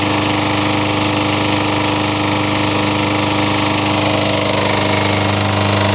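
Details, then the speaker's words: Single-cylinder engine believed pulled from a Toro, running: loud steady exhaust with a regular tapping beat, owner suspects an early knock, cause not confirmed. "I think I yanked this engine off of a Toro because it sounds like it's just starting to knock what do you guys think just doesn't sound quite right to me"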